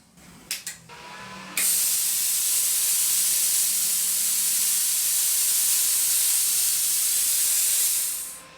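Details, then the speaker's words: Brand-new Viv Arc plasma cutter, straight out of the box: faint clicks then a steady rush of air for about seven seconds with no arc crackle; widening the electrode gap didn't help; no pilot arc, air flow only, further fault suspected. "So guys, doesn't look like we're going to have any luck with this at all. I thought we might get away with it just by adjusting the little gap there, but obviously not. There's obviously something more wrong with it than that."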